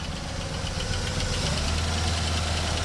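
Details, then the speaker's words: 1967 Buick GS340 at idle after the water pump and points replacement: a light, quick ticking keeps time with the engine. This is lifter tap, which the owner expects to work itself out; air bubbles are still purging from the cooling system. "And we'll take care of that lifter tap. It'll work itself out."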